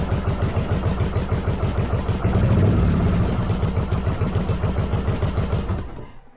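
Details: 1995 Yamaha Virago 1100 V-twin on half choke after cleaning vacuum lines and EGR-type valve: deep thumping about three beats a second, uneven, swelling with throttle then dying; owner suspects carbs not synced, doubts timing.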